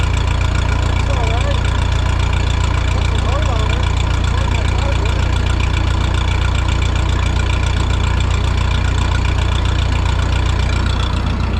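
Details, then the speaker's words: Vintage Ferguson tractor ("Fergie") running a restored Automatic Equipment fogger off the PTO: steady low drone with an even pulse and a fan-like rush on top; the load is heavier than expected, belts flop a little, but it sounds good. Normal running under PTO load. "Puts way more load on the tractor than I thought it would, but she's spinning all right. Let's go around this way. Looks good there, sounds good."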